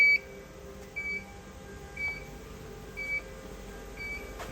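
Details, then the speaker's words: Mimaki JFX200ex flatbed printer during air pressure adjustment; high electronic beep once a second resumes after locking throttle valve, ink negative pressure out of range (about -2.44). "You can hear it's now beeping again."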